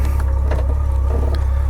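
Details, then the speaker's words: 1997 Honda GL1500SE Gold Wing, owned about three years, restarted and should still be a little warmed up; low, smooth, even burble at steady idle with no ticks or stumbles, a quiet sound unlike a V-Twin. Normal idle. "it's a quiet bike the Gold Wing if you're used to uh that V-Twin sound this is this is a different sound"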